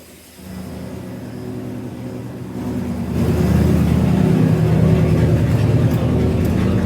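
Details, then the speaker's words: 1971 Highboy pickup, cold, after carburetor rebuild and choke fix: smooth, even, raised idle that climbs a little and holds steady; healthy fast idle on the choke. "Gonna be high idle. Looks like the choke is working."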